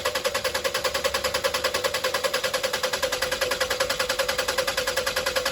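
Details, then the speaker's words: 2001 Toyota Highlander 2.4L 4-cylinder with extended crank, fuel pump already replaced: steady cranking at about 2.5 strokes per second that never catches, with pressure only about 15 PSI and dropping fast after shut-off; pressure bleeding off through a leaking fuel pressure regulator. "At this point, the engine's not even really starting. Okay. Let's see if it holds pressure. Man, that pressure's dropping really fast."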